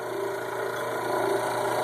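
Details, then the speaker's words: Hot tub recirculating pump motor, wired directly to a cord: a steady mains hum under a coarse, gritty rumble riding along the motor's whir. The front bearing is worn and the motor is to be replaced. "but man if it doesn't sound like crap I think I'm going to be uh replacing the motor as well as the impeller"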